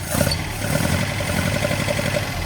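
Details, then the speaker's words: 1979 Datsun 620 after losing oil when its filter unthreaded and having alternator and charge-light trouble, battery about 12.5 V: lumpy, stumbling idle with a regular skip, owner thinks it is running on three of four cylinders and idling too slowly to charge. Ignition misfire on one cylinder. "Run on three out of four. I think that three out of four. That's definitely down."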